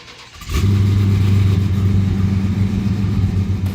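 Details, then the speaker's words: First-ever Hellephant 1,000hp all-aluminum factory engine, fired up with exhaust unfinished so louder: catches after a brief crank and settles into a loud, deep, even V8 rumble; a healthy start. "car sounds amazing we don't have the exhaust 100 so it's a little bit louder so it sounds great"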